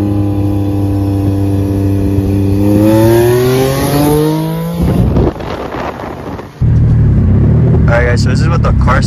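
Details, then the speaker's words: Nissan 350Z with a Comp turbo: engine revs climb with a rising tone then fall, no turbo whistle or spool under throttle; checking shows the turbo not spinning. Turbo failed. "give it a little spin a spin and not so spinning yeah oh my god turbo failed jesus christ god damn bro that's not that's not a cheap trouble either bro"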